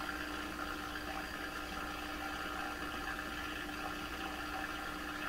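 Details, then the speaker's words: 1928 RCA Victor Model 28V TRF radio tuned to a 640 station on a 5–7 m floor-wire test antenna: steady rushing hiss with faint fixed whistles and no clear program, a strong noise signal near 620–630; garbled AM reception, cause still suspected, not confirmed. "So the station I'm trying to receive is at 640, and it sounds like there's a huge noise signal about 630, 620. This thing. It still has the garble, but"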